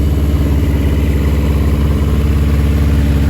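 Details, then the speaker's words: Barn-find 1982 Yamaha Maxim XJ750 with a new fuel filter, choke fully off, after working out bad gas: a steady, even, low burble at idle with no misses or knocks. Normal, healthy idle. "she was just working some of that bad gas out it's pretty clean in here and I got to choke the whole way off it's running really good sounded really good too guys she might be a runner you might be a rider"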